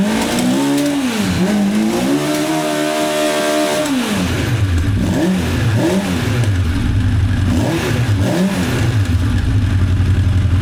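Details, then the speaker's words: 1985 Honda CB1100F four stored about 20 years, after carb clean, air filter removed, choke stuck open: revs climb and fall smoothly back to a steady idle each time; owner notes bucking around 6,500–8,500 rpm. "And at least goes straight back to idle."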